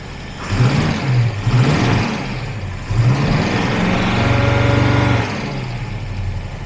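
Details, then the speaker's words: TVR Griffith 500 Rover V8 just started after a bad coil wire was fixed, before warm-up: an even burble that rises cleanly on two quick blips and settles back, firing on all cylinders. "and it really does feel like we have all cylinders now building oil pressure we have fuel so let's go out listen to it and then we're going to let warm up for a bit yeah that's a V8"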